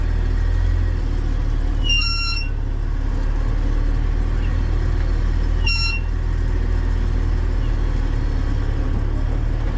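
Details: Car brakes after long sitting with rust built up on rotors, GoPro mounted on the inside during a short drive: road and wind rumble with two brief sharp squeaks when stopping. Squeal from rusted rotors, fixed by resurfacing on a brake lathe.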